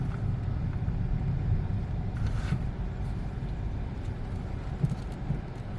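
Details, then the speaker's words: 2012 Peugeot 308 1.6 test drive after front shocks, mounts and stabilizer link replaced: only low road rumble and soft thuds over bumps, no knocking; the former right-side clunk is gone. "Ama şu an gram ses yok Normalde sağ tarafta blok ses vardı"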